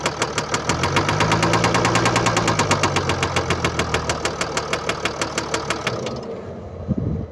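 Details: 2013 Mercedes-Benz E350 4Matic diesel, 2987 cc, 195 kW, engine code NZAAB501, 224,763 km: steady metallic ticking knock about three per second over idle, stopping at shutdown; attributed to a failed bearing and defective injector.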